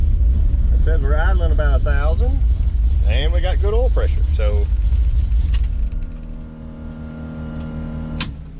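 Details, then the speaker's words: 1971 Plymouth Road Runner 440 big-block V8, stone cold and not started in months, being sorted for ignition timing problems: a deep, steady fast cold idle with no knocks or misses; sounds healthy. "Doesn't sound bad about that. Really needs to warm up. been stone cold and hadn't started in a few months."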